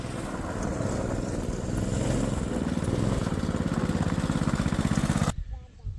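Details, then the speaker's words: Coleman KT196 go-kart after engine rebuild, test run noticeably slower: small single-cylinder engine pulsing steadily about four beats per second, then cutting out; centrifugal clutch slipping, not grabbing because the shaft is too short for the clutch. "So, I know I know what the problem is. It's a the clutch. So, the shaft is too short for the clutch, so it's not grabbing it."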